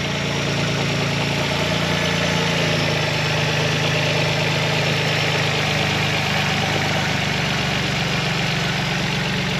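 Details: Calibra 4x4 converted to 2.5 V6, started after years stored, belts and all oils including diff changed: steady even idle, smooth low hum, no knocks, misses or rattles. Normal idle.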